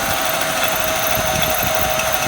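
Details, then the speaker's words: 1996 Jaguar XJ6 idling after an oil change under a steady high metallic ring and hiss over a low rumble. The owner likens it to a bearing and says it stopped when the hissing stopped; the source is not pinned down. "Sound like metal or something. But when it shut off, like the little hissing sound shut off, it stopped."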